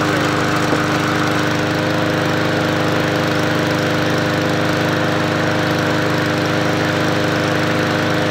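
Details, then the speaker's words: MTD Yard Machines 20-inch P510 push mower with a Powermore engine, bought as a non-runner, running after an oil top-up: an even, constant drone at steady speed with no knock or tapping, so the engine sounds healthy. "not bad all right well it doesn't sound bad it's not doing a knock"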